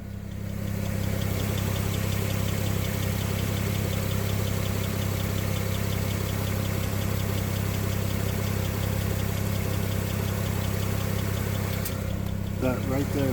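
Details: 2007 BMW 335i engine at steady idle with an odd intermittent noise that comes and goes, once as a quick pair near the end; cause not identified.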